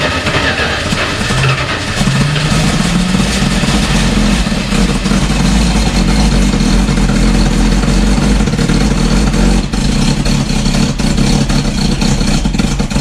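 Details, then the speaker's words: 1972 Dodge 318 V8 sitting almost 20 years, after carb rebuild, new vacuum hoses and ignition wires: loud, lumpy rumble that never settles, barely running and badly out of tune; owner thinks it just needs tuning. "yeah it's out of tune really bad but it's got the bones for it i could hear it rumbling in there well it's not quite running"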